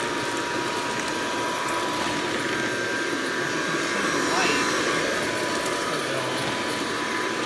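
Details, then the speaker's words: Hoover Model 25 upright vacuum from about 1936–1938, nearly 90 years old, brush roll age unknown: a steady motor whir with a soft, even, quiet brush-roll hum, the belt still turning and no rattles or squeals; runs healthy with suction. "so almost 90 years old and it still got suction that belt is still turning i'm not sure when the brush roll was last replaced but i can hear that brush roll turning and it's quiet"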